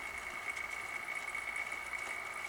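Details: Pump test rig with tank supply valve closed, suction around 26–28 inHg, flow lost and a vapor bubble collecting in the flow meter: thin fizzing hiss with a steady high whistle over faint motor hum, no solid flow sound; pump cavitating.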